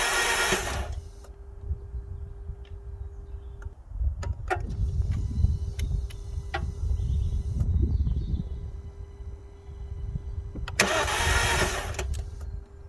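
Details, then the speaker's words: Alfa Romeo Giulietta that stood a very long time, keys newly coded, fuel pump priming: starter churns for several seconds repeatedly without firing, finally catching after a number of attempts; long crank, hard start, cause unconfirmed. "turn it nothing turn it nothing and this is what um you'll hear in a minute and i'll just run it through um and then at the end you'll hear it finally fire up after a number of attempts"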